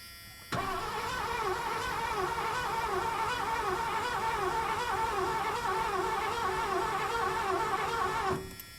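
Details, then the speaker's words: 1986 Ford Bronco, sat with the gas probably leaked out: starting fluid sprayed into the intake, and the starter cranks evenly at about 3–4 beats a second for eight seconds but never fires; crank no start. "Okay. Nothing there. Let's do a little bit more."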